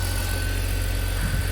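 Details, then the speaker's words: Long-abandoned 2004 BMW E46 325i Touring six-cylinder, jump-started on low petrol, first-time start: smooth, even low idle hum, no knocks, misses or ticking; healthy. "Wow, first time start. Okay, there's not much petrol in it. It sounds so good. I think it's worth saving."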